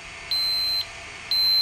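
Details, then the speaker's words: Sharp PC-4500/PC-4521 laptop hard drive during RAM test: two long high-pitched beeps about a second apart with no spin-up whir; heads lock and the arm stays stuck, so the drive is faulty and fails to spin up. "oh dear lord it spins so going to sleep ah problem is the heads seem to lock and won't unlock which is a bit of a problem"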